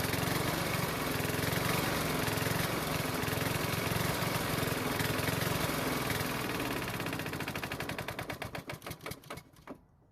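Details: Honda mower that wouldn't start in spring after proper winter storage: runs evenly, then is shut off and coasts down with slowing pulses; runs cleanly.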